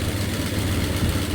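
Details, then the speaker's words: 1993 Dodge Ram D150, 5.9 360 Magnum V8, EGR hole blocked by inverting the EGR: steady idle with a raw, puffing exhaust chuff over the low rumble; engine otherwise sounds fine, exhaust leak remains unsealed. "Se oye bien la máquina, chatos. Nada más ese ruido del escape es todo, pero la máquina se oye para mí perfecta."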